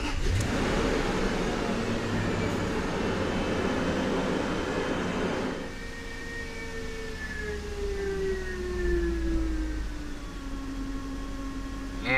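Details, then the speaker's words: 2006 Range Rover Sport after coil work and fresh fuel added; loud start dropping to calm, rock-solid 600–700 rpm idle with fading whir, smooth and even. Normal idle. "look at that that 6 or 700 RPM well is Rock Solid sounds good"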